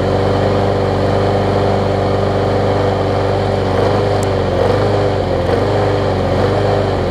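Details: Bolens mulching mower trade-in, small single-cylinder engine with air filter off, chugging weakly and unevenly, barely alive on starter fluid. The engine shroud showed neglect and signs something had been living inside.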